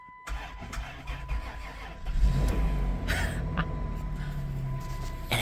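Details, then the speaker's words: 2000 Chrysler Grand Voyager SE, 114,000 miles, first start after 8 years parked, accessory belt cut off, old fuel: brief crank then catches within seconds into a steady quiet idle, no ticking; normal start. "fires right up. And it's so quiet. It's so quiet because nothing's spinning. It just fired right up."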